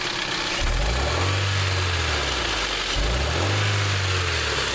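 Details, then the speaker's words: 2001 Hyundai Elantra with about 50K more miles: the engine revs cleanly when raised slowly but stumbles when the throttle is snapped, a misfire under load; worn spark plugs with widened gaps were the cause. "I bet you that's what it is cuz see see when you rra it up slow like this it's not missing"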